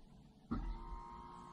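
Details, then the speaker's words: 2015 Lexus NX200t, ABS pump actuated by an Xtool D5S scan tool, heard with the door open: a sudden electric motor start, then a very quiet, steady mid-pitched hum; the pump is turning on and running normally. "hopefully you heard that pump that it's a very quiet pump but the pump is turning on"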